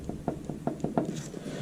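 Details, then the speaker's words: Toyota Landcruiser VDJ79 with 70,000 km, axle removed: light metallic clicks as the loose wheel hub is rocked by hand, indicating a little wheel bearing play. "Actually, a little bit of bearing play. Not sure if you can hear that."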